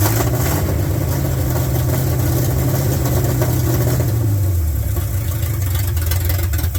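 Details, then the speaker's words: 1972 Ford F100 after sitting in a field, running on open headers with bad old gas: a loud, deep, raw rumble at idle that blips up and settles back. "Fires up. Got some It It didn't look like Hey, open headers. That's fun. Sounds good. It's It's a It's got some bad gas in it."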